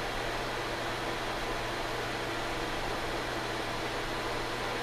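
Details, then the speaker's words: Suncourt HC300 register booster fan, about 2004–05, nine blades on a C-frame motor: loud, steady rushing whoosh with a faint low hum and no knocks or ticks; works but is very noisy. "So, yeah. We'll turn it on. Noisy as hell."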